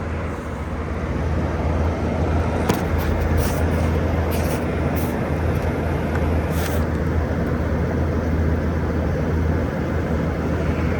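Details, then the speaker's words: 2012 Frigidaire 18,500 BTU 220V R-410A slide-out window/wall AC, placed outside, at about 88°F: compressor startup, steady low even hum under outdoor noise, no knocking or rattling; running smoothly, though fan bearings noted as starting to go. "All right. I'll put this outside and we're gonna get a startup of the compressor."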